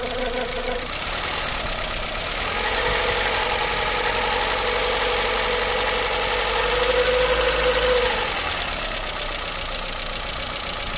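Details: Renault Logan 1.4 engine, hot: fast, fairly even ticking knock near four per second over a thin idle that rises briefly with revs; engine knock of unclear origin.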